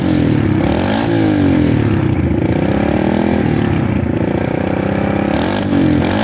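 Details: KLX 110: single snaps cleanly from idle to high revs and back, no hesitation or bog; normal crisp throttle response.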